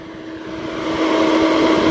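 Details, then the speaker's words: 1999 Porsche Boxster salvage car after a long drive, engine off: steady whooshing fan roar with constant hum; the cooling fans won't stop until the key is turned to position 2 and back off. "But as I go over all the problems, here's the first one. So hear this, the cooling fans won't stop running."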